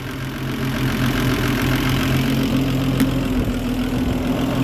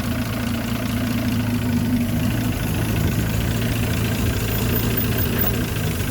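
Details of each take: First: Land Rover Series 3 109, 2.6 six-cylinder, during carburettor tune-up with timing still off: engine idles fast and slightly louder with a quick, busy beat well above a normal idle. Idle speed too high; electric choke/accelerator to be turned off. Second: Land Rover Series 3 109, 2.6 six-cylinder still being tuned, just after starting, good oil pressure: quiet, even idle with a smooth low hum and no tapping or stumble. Normal idle, engine in good order.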